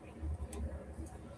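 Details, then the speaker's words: Electric car, 12 V battery just charged, motor put in gear: low, rough pulsing buzz because the three-phase leads between inverter and motor were reconnected in the wrong order after removal. "Did you hear that buzzing sound the motor was making when I put the bird? My professional opinion is there's something wrong with it, but I actually know what it is this type. The three phase leads going to the motor bolt onto the top of the inverter here."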